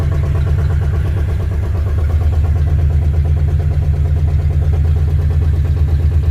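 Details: Ford Fairlane V8 after engine install; deep steady rumble at fast idle, lowest the poor carburetor allows, no ticking or knocking; owner suspects stuck thermostat, running hot.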